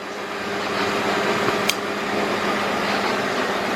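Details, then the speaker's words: 2005 Hyundai XG350L V6, 259,000 miles, codes P0350, P0300, P0302, P0305, check engine light on: rough idle with uneven loping beat and occasional stumbles; two cylinders logged misfiring but sounds like one. "okay let's see how this car runs and you can see it does have a rough idle now put into the codes I'm showing two cylinders to on a misfire but it just sounds like one"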